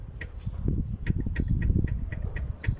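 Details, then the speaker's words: Mazda CX-7 2.3 turbo, timing chain removed, VVT cam gear rocked by hand while camshaft stays still: sharp light clacks, several a second, from about a tooth of free play; this is the truck's tac-tac noise, gear damaged and being replaced. "sea vean este juego este juego no es normal vale no es normal no tiene por qué moverse así y de hecho se escuchan se oye el tac tac y ese es el taca taca que tenemos en la camioneta"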